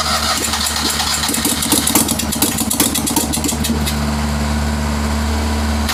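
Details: Citroën 2CV unknown spare engine after years of storage, first start with weak battery, cold old oil: catches with ragged, stumbling firing for a few seconds, very smoky, then settles into steadier idle, like clearing its throat.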